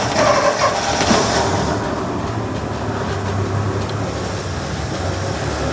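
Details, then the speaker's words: 1963 Ford F100 six-cylinder, sludged engine, just after valve adjustment (middle cylinders loosest, #6 exhaust tight, #1 intake loose): quick start burst, then smooth, even idle with steady low rumble, no ticking; much better than before. "That is a big improvement. That, I love that. I love it when you do something like this and it just all does what it's supposed to do, and it just sounds so much nicer now in comparison to what we had before."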